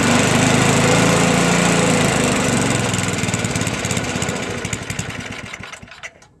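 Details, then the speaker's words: Toro 421 snowblower, unstarted for about 2 years, cold start with fuel valve shut: runs briefly, then firing thins, slows and sputters to a stop over a few seconds from fuel starvation; stalling. "Well, it started, a couple of pulls, so let's try it again. Might help if I turn the fuel on."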